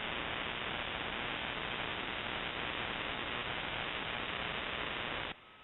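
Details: Shortwave ham radio receiver: steady harsh hissing buzz across the band then abrupt cutoff; broadband RFI persisting with house breaker off, timed (off 7:31 pm nightly), grow light or powerline suspected, source unknown.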